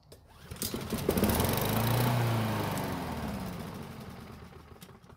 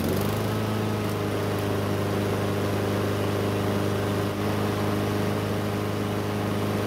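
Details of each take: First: Free curbside Blackmax mower that would not start, with fuel poured into the carb: catches, runs rough a few seconds, then dies. Owner wonders about stale or watery tank gas. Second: Free curbside Blackmax mower that would not start, now running after a bad spark plug was swapped for a used factory plug: steady, even single-cylinder drone with no misses or knocks. Some smoke, likely from oil in the muffler.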